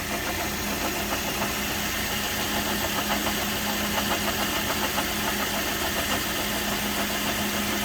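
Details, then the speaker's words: Toyota Corolla at idle: faint constant hum with light rapid ticking, level with speed; water pump noise, very minor, checked by removing drive belt and spinning pulleys, then inspected with borescope. "Second step, go to the water pump. It's literally small noise. Noises is very minor"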